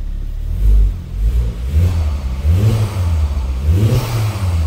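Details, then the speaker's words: Ford Focus ST 225, already run two minutes earlier, revved just after fitting a large-volume intercooler and front lower wishbone, gauges attached: a deep note climbs and falls with each blip, smooth and even with no knocks or rattles; it sounds healthy. "Maintenant on va faire la mise en route. On va écouter le... Si c'était une Peugeot, je dirais le lion rugir."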